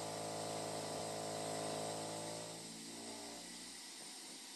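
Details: Household hot water system, newly fitted replacement expansion vessel much larger than the original, after heating the water: fast even buzzing rattle with a steady hum behind it, fading as flow settles; owner wonders about water hammer, cause unknown.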